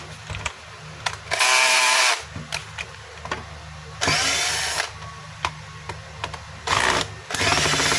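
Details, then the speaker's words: Stanley STDH7213 hammer drill that the customer says cuts out intermittently: it whirs in short one-second bursts that cut in and out with a crackly edge and visible sparking; a loose terminal is arcing at the brushes. "Aha, masiklab yung kanyang andar. Tapos yung pahinto-hinto, ito yun mga kabayo, yung kanyang terminal. Ayan po, ang luwag. Kaya pag umaandar yan, nag-i-spark yan."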